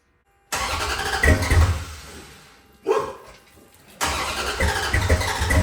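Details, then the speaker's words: 1970 Dodge Charger V8 after fuel pump refitted, first run in at least 18 years: catches and idles rough, beat stumbling with occasional miss; slight misfire at idle. "Running. Not real good, but it's running. Picked up fuel and it's going to idle."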